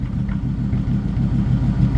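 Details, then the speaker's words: 1950 Ford F1 truck, about 26°F, still a little cold: deep steady rumble through dual exhaust, even beat, nothing knocking or ticking; healthy idle, not smoking. "This truck has a nice sounding dual exhaust."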